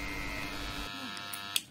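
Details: Hair clipper that had been jammed and only humming, after opening and cleaning it: steady, even electric buzz as it runs freely, ending with a switch click; normal running after the repair.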